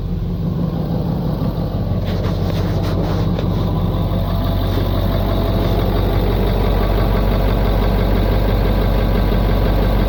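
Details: 1996 Ford F-250 7.3 Powerstroke diesel fed from a homemade fuel tank after pulling air through the fuel lines. Steady low clatter about three beats a second, idle holding even with no stumbling; fuel supply restored.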